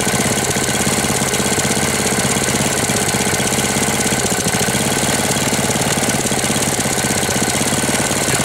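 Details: 1998 Briggs & Stratton 60 (6 hp) Intek Edge restarted after long storage, oil changed, leaks and hoses fixed, not warm: loud fast hard rattling knock throughout, harsh and laboured; owner says it sounds about to seize though oil level is fine, cause unclear.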